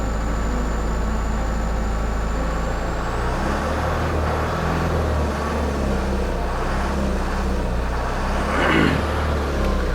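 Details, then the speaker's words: Heavy air-braked truck with the throttle raised slightly from idle: steady low diesel drone with an even pumping note underneath as the gauge climbs past 6 toward the normal 8–10 bar; compressor building brake pressure normally. "അപ്പോൾ കണ്ടോ ഈ sound ഇപ്പോൾ മാറി, ആ ഒരു sound മാറി. അപ്പോൾ ഇതുണ്ട് ഈ മീറ്റർ കയറി വരുന്നുണ്ടോ."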